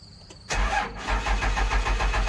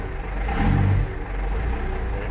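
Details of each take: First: Cummins diesel dump truck, 127,000 miles, cold start: cranks, catches and settles into a slow, lumpy idle that seems too low; owner thinks idle rpm should be higher but is unsure; a little cold-blooded, blows smoke. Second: Cummins diesel dump truck, 127,000 miles, cold start; a little cold-blooded, idling quite low (owner thinks it should idle higher), blows some smoke; deep even rumble swelling with a brief rev and settling, no knocks or misses; runs good, normal running.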